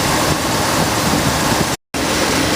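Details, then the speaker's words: 1966 Ford Thunderbird V8 during carburetor repair, choke held open manually with vice grip on fast idle cam: steady slightly raised idle around 1100 rpm with an even rumble, no stumbling, briefly cut out; normal cold fast idle. "right she's idling at about 1100 which is okay because I'm doing this manually"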